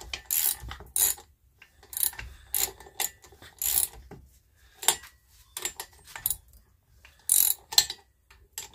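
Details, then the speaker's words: Old lawnmower engine, freed with penetrating oil after sitting, hand-pulled: pull-cord ratchet clicks in short bursts, each pull dragging through a firmer stroke; engine now turns freely with compression. One valve not closing fully, needs cleaning. "sounds like it's got compression I'm working that um that oil up and down that penetrating oil"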